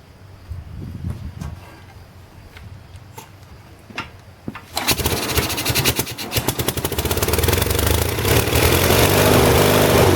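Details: 1978 Lincoln Lincwelder 225 engine-driven welder, cold start after ignition repair fixed weak spark, carburetor and governor not yet fully adjusted: a few weak cranking ticks, then catches and settles into fast, fairly even chatter; running normally.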